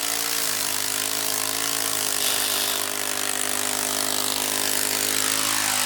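Steady engine drone with a harsh, rough grinding underneath that persists throughout the cut, pointing to a worn drive transmission.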